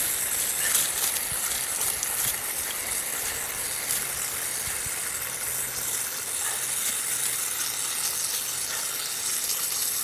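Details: Backyard drip irrigation line with water on: steady airy hiss over quiet outdoor background, no rhythm; water spraying from pinhole leak at bottom of a coupling fitting.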